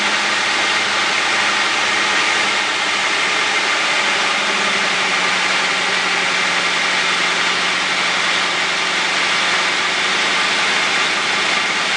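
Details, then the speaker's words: 2004 Crown Victoria 4.6 V8 after a cold start: steady idle with no screech. The short cold-start screech came from the starter Bendix one-way gear, now freed up by soaking it in oil; starter replacement still warranted. "I got enough oil worked in there to where it it doesn't screech anymore"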